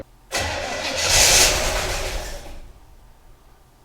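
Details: 1964 Chevy Impala, 283 V8 with Powerglide, off the road 28 years, cranked from inside with ignition wired to the fuse panel: a couple of seconds of whirring cranking that stops without catching. Cranks but won't start; fuel delivery from the tank suspected.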